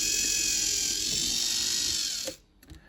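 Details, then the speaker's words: Lima class 50 model locomotive, received as a non-runner and now revived, runs on a controller during wheel cleaning: a steady, high-pitched motor whine at even speed with no catches, then it cuts off. Back in operational condition. "as you can here this 50 is back into operational condition condition"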